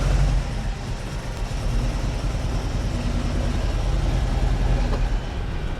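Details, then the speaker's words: 1988 VW Vanagon idling after new alternator, fuel lines, fuel pressure regulator and air filter: low rumble with an uneven beat and occasional stumbles, running very rich; a slight idle misfire, cause not confirmed. "it sounds much better but right now and it's idling it sounds like it's slightly misfiring it's also very very rich"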